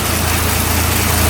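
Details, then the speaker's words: 1971 Ford F-series truck inline-six after cold start (temperature gauge ice-cold), with new distributor, electronic ignition and rebuilt carburetor: deep, smooth, even idle rumble with no knocks or misses. "idles just like that goods that kill a little inline-6 sound"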